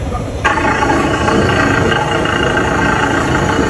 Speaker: Yeah, I suspect two things. Number one, water pump. Secondly, adjuster. The bad adjuster can bring out the sound.